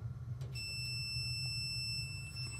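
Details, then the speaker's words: Multimeter continuity test on a Whirlpool heavy duty Thin Twin washer-dryer: clean steady high-pitched beep for about two seconds on the part connecting to the heating element, showing continuity, unlike the blown thermal fuse, which gave no beep. "And just so you hear a beeping noise from a functioning dryer component, I will put the leads on this piece here that connects to the element."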